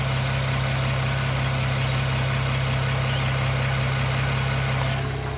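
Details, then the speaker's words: BMW E92 335i with swapped N54 engine on baby boost, heard loudest through the wheel arch: steady low idle drone with a loose irregular metallic rattle; wastegate rattle, reduced by adjusting the default wastegate position on the JB4. "when i got back i could hear waste gap rattle quite badly and all i've done is adjust the default wastegate position and it seems to have shut it up"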